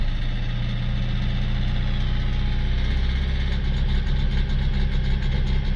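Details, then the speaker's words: Citroën C4 Picasso 1.6 diesel, fault P0265 injector 2 circuit short, no response from injector 2: deep clatter with an irregular stumble every half second, engine shaking, worse under throttle, won't exceed about 1,800 rpm; cylinder 2 misfire. "It gets worse if you try and accelerate it. Yeah, that's a full That's full acceleration. Won't go past sort of 1,800 RPM."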